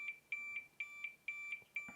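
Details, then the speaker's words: Zoom F1 field recorder's stock lavalier microphone cable on a continuity tester, beep cutting in and out as the cable moves: intermittent break in the signal wire at the tip connection, causing crackling. "there's working and i move it look at that short circuit it's intermittent and that's why it's making that crackling"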